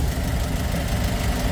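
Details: Kia K2500 diesel truck idling after an earlier problem of heavy exhaust smoke; the smoke is now gone. Low, even diesel clatter holding a steady beat with no stumble or miss; healthy idle.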